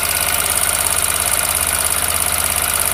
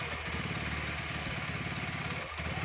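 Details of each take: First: TVS Apache RTR 160 4V BS6 motorcycle at 6,898 km, idling; quick light metallic ticking about three to four per second from the top end; tappet/rocker arm noise, valve clearance suspected. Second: TVS Apache RTR 4V 160 (BS6), which had a tappet/rocker noise problem: even single-cylinder idle with regular firing pulses and no top-end ticking, now sounding different from before and normal.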